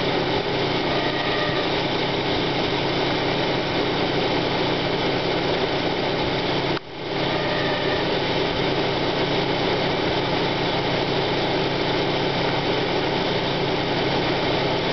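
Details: 1995 Plymouth Neon Sport DOHC petrol engine idling: a rough, steady grinding rasp on initial start-up that fades once warmed; owner suspects the idler pulley bearing (timing belt walks on it) or water pump, unconfirmed.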